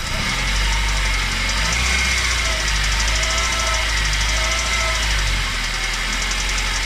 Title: What is that weird noise